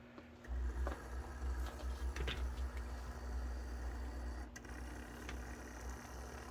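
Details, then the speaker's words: A model U30C locomotive's new custom-built motor, mounted on two lead shims with goop only and run with extra weight and the shell on. It gives a low, steady, even hum with no knocks or rattles and sounds well tuned. "Sounds like a good, well-tuned Athearn Blue box, although his box may have been orange."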